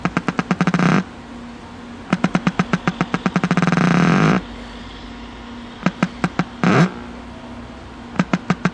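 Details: Packard Bell 35 old AM tube radio with wax IF transformers, first power-up after new power cord, antenna attached: fast bursts of ticks about ten per second over low stop-start hum. Interference noise; owner suspects a shorted part.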